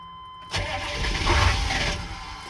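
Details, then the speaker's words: 2000 Chevrolet C3500 6.5L turbo diesel after starter solenoid replacement: starter now engages and cranks steadily over a second without catching, as the Passlock anti-theft module locks out starting; crank no start from immobilizer lockout. "All right, moment of truth. Did we fix it? Yes, we did. But of course, it's not going to start because of that pass lock module, but"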